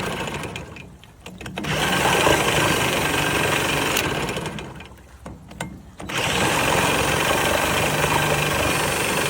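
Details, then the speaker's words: 1969 Johnson Sea Horse 1.5 hp two-stroke outboard on choke: runs in uneven bursts, dropping away twice then picking up; surges and will not hold an idle, cause unknown. "It doesn't want to idle. It like kind of sounds good, but I don't know why it's dying there."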